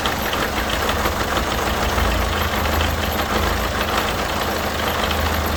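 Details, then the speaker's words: Peugeot Partner 1.6 HDi diesel after replacing leaking injector seals: steady even idle clatter with no ticking or hissing from the injectors; noise gone after repair, normal idle. "Donc c'est bon, le bruit est parti."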